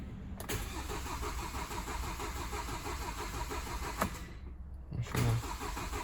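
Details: Hyundai Sonata YF LPI (LPG) that won't start: steady, rhythmic starter cranking that never catches; the humming fuel pump gives inadequate pressure because its plastic housing has broken off.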